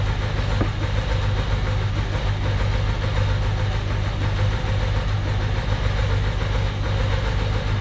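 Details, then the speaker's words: 1993 Ducati 750SS with Mikuni carbs, one idle mixture screw wound fully in from four turns out (1.2% CO, high oxygen): loud, lumpy low idle with a heavy uneven thump, running on one cylinder. Lean idle mixture. "ngine note as you can tell now it's running on one cylinder because the auto mixure screws all the way in they were four turn that screw was four turns out there's still some fuel in there 1.2% Co but it's really not very happy and the oxygen certainly shows that"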